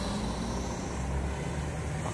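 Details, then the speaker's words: Emax Babyhawk-R 3-inch FPV racing drone with Avan mini 3-inch tri-blade props, flying in drizzle: steady smooth low hum with no buzz, rattle or wobble; quiet, clean normal flight. "let's take this thing up in the air so I can show you guys how it flies take it over here this is drizzling now here we just bring it in closer you can hear how quiet it is"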